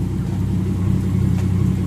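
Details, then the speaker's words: Ford BA Falcon XT Barra inline-six, naturally aspirated with added turbo, runs with a heavy rapid knocking rattle that turned out to be a cracked flex plate rather than engine bottom-end failure. "yeah as gnarly as that sounds it's just a flex plate it's not uncle rodney"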